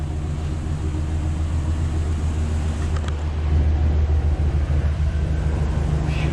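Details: Truck with newly replaced engine, about 225 miles on it, computer relearned after StabiliTrak light issue: even, deep engine rumble with steady beat, no knocks or ticks; new engine sounds healthy and settled.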